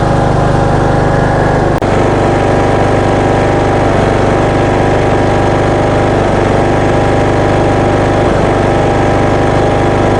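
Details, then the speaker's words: Craftsman ride-on mower, 21 hp Briggs & Stratton air-cooled engine, after head gasket job, carbon cleaning and new spark plug for heavy smoking: steady, even single-cylinder putter with no miss, knock or hunting; idles smoothly. "I'm happy with the way that it runs and starts and idles, of course. It's idling quite smoothly."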